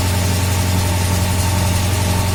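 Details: VAZ classic (2101–2107) rear axle shaft bearing after replacing a bearing found broken in two and adding grease. Wheels turning on the lift with the drum removed give a steady, smooth hum; the earlier rattle is gone.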